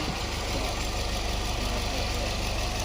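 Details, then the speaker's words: 2019 Nissan Pathfinder 3.5L V6 with P0101 MAF code, rough lumpy idle and stalling when cold: after restart idles super smooth with an even low hum, fuel trims correcting. "Already feels different with the way it started. It's like super smooth now."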